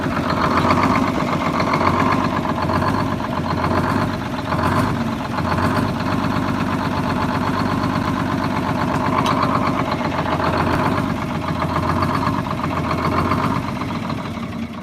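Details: Cold two-stroke diesel bus engine chugging at about four beats a second, slightly uneven and labouring; rough lugging idle, idle governor out of adjustment, expected to smooth out warm.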